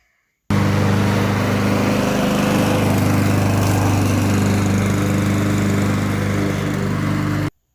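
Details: Honda lawn mower rescued with bad gas and a clogged carburetor, after cleaning the carb main jet and nozzle: steady, even note with no surging or hunting throughout; normal running.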